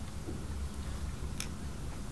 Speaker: and the trigger does work you can hear it clicking on the microphone thing inside the frame